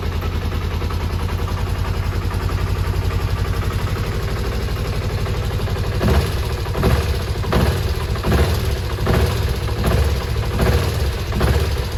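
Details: Kawasaki ZZR250 twin track bike under restoration, after an oil change: idles evenly for six seconds, then short throttle blips that return cleanly, no smoke; runs healthy.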